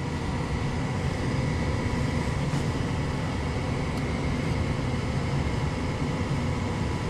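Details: Lennox EL180 furnace attempting to fire up: steady, smooth inducer whoosh and hum with no rattle, squeal or wobble; the inducer is normal, and the furnace is being diagnosed for a failed gas valve.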